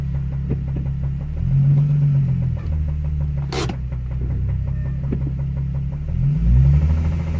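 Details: Nissan 350Z engine revving after spun bearing, noise grew from minor tick to full knock: heavy, uneven low knock following revs up and down — rod knock.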